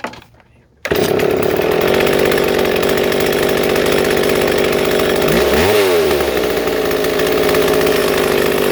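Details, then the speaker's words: Two-stroke chainsaw before idle screw adjustment: steady, fast buzzy note that never drops to slow idle; idle speed set too high, chain moving without the trigger pressed. "but I'm gonna try to adjust one of these so you can see this this chain moving when I'm not even pressing the trigger"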